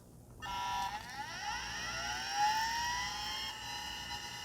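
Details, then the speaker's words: Compaq Peripherals CP3024 20 MB hard drive for a Compaq Portable III, last used 1997: whine climbs in pitch as platters spin up, then settles into an even hum as the head seeks and initializes; healthy spin-up, unlike the stuck-head drive. "The head spun up, seeked a little bit, did its initialization process, and now that drive is nice and happy, ready to go."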